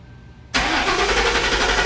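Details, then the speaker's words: 2003 Lincoln Town Car that sat 7+ years, first start, microphone left at the rear: quick crank catches and settles straight into a steady, even idle; clean, healthy start. "We officially have a running stinking Lincoln."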